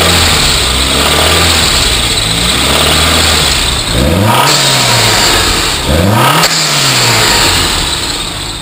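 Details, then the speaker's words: Saab 9000 turbo, stage three tune, about 20 lb boost, hood open: revving with a steady rough rattle through rising and falling revs, a serious low-end engine knock; alternator chirp also present. "since then the engine has has developed a pretty serious lowend knock"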